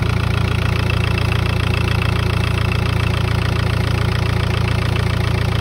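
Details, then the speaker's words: Cold idle of a prepped TDI diesel at 300,000 km after the slipped timing belt was re-timed (old tensioner pulley found dead): steady, even idle with regular beat, no knocking or clatter; healthy. "Il n'y a pas un bruit, tu vois, ça claque pas, il n'y a pas un bruit. Pas un bruit."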